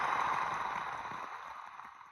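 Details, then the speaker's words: 2007 Jeep Grand Cherokee CRD diesel (OM642), removed old water pump spun by hand; dry gritty whirr, rocky with tons of play. Worn, rough water pump bearing; grease from it suspected in the coolant. "it is rocky and it's moving tons of play in it so that was definitely junk"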